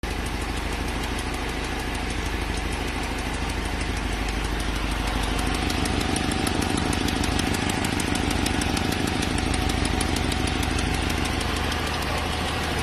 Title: Ticking sound, could be leaking manifold?